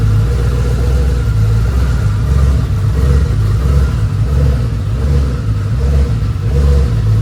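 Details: Ford F150 with a twin-turbo Gen 2 Coyote V8, fresh FFRE Stage 3 short block with Head Games heads, just after its first startup. A deep, even rumble with a smooth, regular lope and no knocks or misses. This is a healthy idle.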